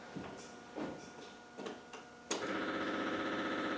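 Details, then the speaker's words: Land Rover 300Tdi, newly fitted electric fuel lift pump to cure hard starting, engine stone cold with ignition on: steady buzzing hum with a fast ticking pulse, loud for a lift pump. Fuel supply is good. Noisy pump. "there you go like i said it is a bit noisy now"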